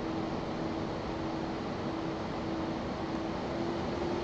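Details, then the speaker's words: Two converted G5 case fans (Zalman 92mm fan motor swapped in) at the rear running at full 12 V, about 3,000 RPM, microphone about 10 cm away; steady airy rush with faint pulsing hum, quite loud but normal. "12 Vol so remember that's the noise coming from two fans at the rear running at a full 12 volts"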